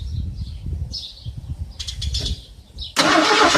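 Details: Ford Granada that sat almost 20 years, fueled with a two-stroke oil and gas mix with an inline filter before the fuel pump: steady rhythmic cranking with an occasional stronger beat, never catches; cranks but won't start.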